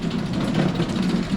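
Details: Honda push mower after sitting a year and not starting, now serviced with cleaned carburetor, flushed fuel tank, fresh oil; low, steady chug with an even beat and no knocking or sputter; runs smoothly now.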